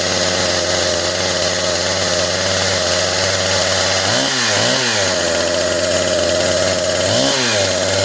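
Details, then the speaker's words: Husqvarna 455 Rancher chainsaw, rebuilt after being run over (new plug, filters, fuel line, primer bulb, throttle linkage), idling with a buzzy, slightly uneven note that dips in speed; smoking excessively, running rich, carburetor low-speed idle needs tuning once warm. "it looks like she's excessive smoking so we'll have to uh gear nice and hot and we'll tune up the carver get that low idl"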